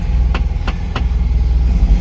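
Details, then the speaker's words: Classic Fiat 500 after replacing the pilot (spigot) bearing: air-cooled engine idling steadily with clutch pedal in and in gear, no whine, grind or rumble; the earlier awful noise on engaging gear is fixed. "ignition on start a cable clutch in into gear no noise"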